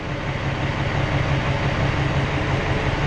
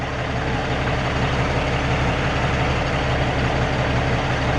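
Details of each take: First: Peterbilt 379 with ISX Cummins diesel at idle during a cylinder cutout test, injector disabled: low idle pulsing about three beats a second with a slightly uneven, lumpier note as one cylinder is cut out. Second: Peterbilt 379 with an ISX Cummins diesel after a loose part was fixed: a deep, even idle rumble with no misses. It sounds smoother and burns cleaner than the heavy smoke seen that morning.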